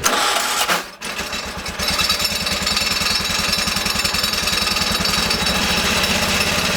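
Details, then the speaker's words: Rebuilt Kohler K301 12 hp single-cylinder, first run after reassembly with new gaskets: brief stop, then fires into a steady, even thump with no misses; fuel pump later suspected bad and replaced. "If it did or not, it sounded like it ran."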